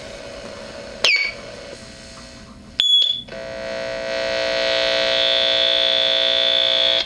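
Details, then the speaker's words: 1960s Gibson GA-5 Skylark tube guitar amp, volume around nine to ten: a steady high-pitched squeal that stops when the first 6EU7 preamp tube is grabbed, pointing to a bad microphonic preamp tube. "hear that high-pitched squeal [Music] that's what it's that's what it's doing when it's more or less all the way up about between maybe nine and ten on the volume dial"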